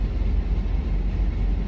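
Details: 1997 Chevy Astro 4.3L V6 with a no-start in rain despite cranking, running after grease was applied and it sat over six hours, no longer hesitating; deep, steady, even rumble with no misses; normal running.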